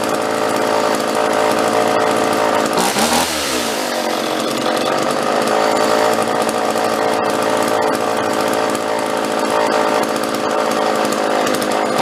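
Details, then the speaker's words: Vintage John Deere chainsaw found in trash, held at constant throttle: loud buzzing run with revs swelling then sagging, oscillating as if starved for fuel; owner suspects carburetor needs a kit, not confirmed. "Yep. It's got a little bit of it's oscillating. It sounds like it's actually stalling for fuel a little bit. It'll rev up and kind of die, rev up and die. And I'm not letting off the throttle. I'm just staying constant on it."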